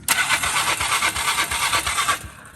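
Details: Polaris 500 golf cart with water in fuel and dirty carburetor, not yet cleaned; steady starter churning about three beats a second for two seconds, dies away without catching: hard start, cause suspected, not confirmed.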